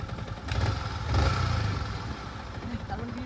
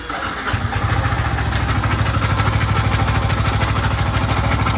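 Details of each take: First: Yamaha MT-15 2020 V1, 400 km, after rocker and tappet/valve clearance adjustment: steady, even low thump at idle with no ticking or clatter; engine noise fixed. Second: 2020 Yamaha MT-15 V1 with only 400 km: a fast, rattly top-end clatter rides on the idle beat and rises with a throttle blip. Timing chain thought unlikely at that mileage; rocker, tappet clearance and camshaft were checked.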